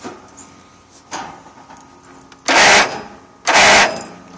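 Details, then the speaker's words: Craftsman GT6000 riding mower, tight-compression engine: two short harsh starter bursts that cut off without cranking. The owner believes the starter internals are seized; the bendix turns and the engine can be turned by hand. "starter's gone yep i believe the actual entire internals of the starter are seized"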